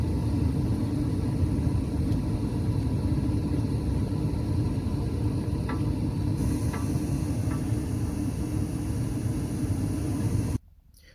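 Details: Furnace burner after plugging the flame sensor back in (unplugged sensor mimics a dirty one that lights then shuts off): steady, even burner roar holds about ten seconds without cutting out; normal burner operation.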